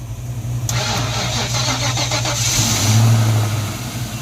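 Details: 1994 Ford Mustang GT convertible V8 with a dead battery (trunk light left on 4 days), jump-started on a second try: the starter cranks in even pulses for about two seconds, then it catches and settles to a steady rumble, starting normally.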